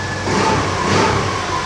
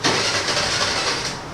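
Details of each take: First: 2020 TVS Jupiter BS6 scooter after repair for starting and idling problem (had not started after three days parked), check engine light gone: steady even idle, picks up cleanly on throttle with no knocks or misses; normal idle and rev. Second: TVS Jupiter BS6 2020 scooter, unused for three days, now has a new battery but the engine check light is on. It catches with a short burst, then dies within a second, and also stalls when throttle is applied. Finding: engine starts but won't hold idle.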